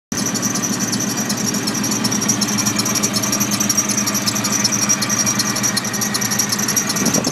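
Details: Nissan Titan after Stillen supercharger install: sharp high squeal held over the running engine, pulsing slightly with rotation; supercharger drive belt slipping.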